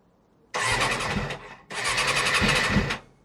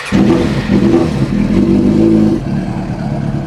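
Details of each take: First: Suzuki RF600R motorcycle, first start attempt after a spring oil change with fresh oil, choke on and fuel on: two short bursts of starter whirring, each about a second, and the engine never catches. A hard start, cause not yet known. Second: Suzuki RF600R after an oil and filter change, started cold on choke to circulate oil: sharp revs settle into a fast, even, slightly lumpy idle; normal cold idle on choke.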